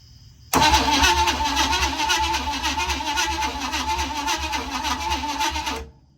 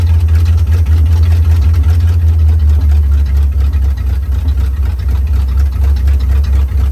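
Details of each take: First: 1956 Chevy Bel Air with formerly locked-up 265 V8, untouched otherwise: starter spins it at a steady uneven churn for about five seconds, never fires; no spark at the plugs despite 12 volts at the coil. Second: 1956 Chevy Bel Air 265 V8, freed from seized, fed from a boat tank with carb bowls filled and no radiator: deep, slightly lumpy V8 burble idling on its own; running acceptably.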